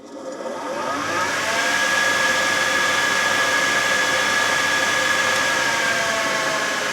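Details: Old radial arm saw idle for many years, new belt fitted, test run with the guard off: the motor spins up smoothly to a steady, even whir with no knocks or rubbing; running normally.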